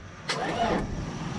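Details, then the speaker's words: Isuzu NPR cab-over, 4-cylinder diesel, sat about four years: brief sluggish crank of only a couple of revolutions that dies away; engine not locked up, but batteries too weak; slow cranking from weak battery. "Alright, well, we know she's not locked up. Made a couple revolutions. We definitely need more power."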